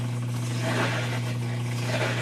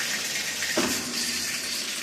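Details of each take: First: Whirlpool top-load washer not spinning, in diagnostic mode during drain and spin, actuator working: steady low hum with a coarse rough edge; drain pump sounds unhealthy. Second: Whirlpool/Kenmore/Amana/Maytag top-load washer in automatic diagnostic test mode, cold water inlet valve tested: steady hiss of water filling with no chatter or buzzing, valve working normally; machine's complaint is not spinning, suspected actuator/clutch.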